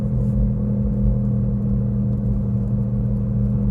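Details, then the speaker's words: Car cruising from about 30 km/h up to 70–80 km/h: steady low drone over road rumble that fades at higher speed, from a worn left wheel hub bearing; quiet over a speed bump. "Так что как гудит ступичный подшипник вот я сейчас буду переезжать лежачий полицейский тихо все тишина разгоняясь появляется голод 30 километров в час и где-то до 70-80 потом он пропадает"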